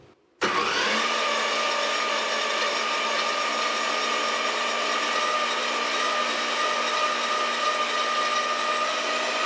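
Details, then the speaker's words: Saw run through a cheap unlisted router speed controller giving at most half-wave power, turned near full: spins up sharply, then a steady high whine that creeps in pitch; speed surges because the open-loop controller has no feedback. "and did you hear it there ramp up because it's got no control speed control it doesn't know what it's outputting there's no feedback loop"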